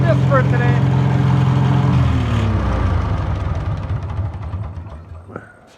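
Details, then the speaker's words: Old tractor engine rested 15 years, running after its points were filed: even, steady, low beat with no misses, then winds down smoothly at shutoff; normal running. "i file the points and i'm going to try it again sounds pretty darn good i'm going to shut it off and let it at"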